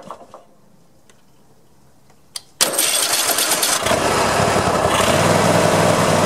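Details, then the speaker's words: Mower starting after freeing a cap that was jammed on a loosening nut: quiet clicks, brief crank, then engine catches cleanly and settles into an even steady run; normal start. "well i think that was it that was kind of kind of easy there"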